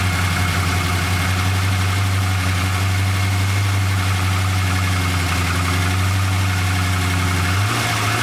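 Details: 1999 Holden R8 Clubsport, Gen III LS1 V8, second run after a cam swap with oil topped up: low idle holds a steady drone, then sags and wavers as it struggles to keep idling; no warning lights, cause not yet worked out.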